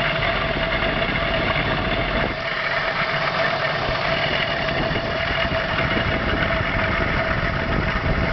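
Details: Engine idles with a rough, busy clatter and a thin steady whine on top; weird engine noise, cause unclear.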